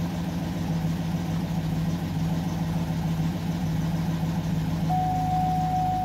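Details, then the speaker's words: GMC Yukon (low oil pressure case), warm idle after a new oil pressure sensor. About 1 psi at idle brings a loose valvetrain clatter about twice a second that improves with rpm. Not the sensor or pump; the mechanic suspects a worn, poorly maintained engine. "but as you get down back to that like one psi the engine goes right back to sounding like there's wrenches inside of the engine it's not an oil pressure sensor issue it's not a oil pump issue"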